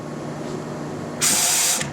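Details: GM 6L80E/6L90E transmission rebuild, air test after fitting new sealing rings and the drum: sharp hiss of air lasting about half a second, with oil blowing out and a weak apply; new sealing rings leaking across the clutch circuit.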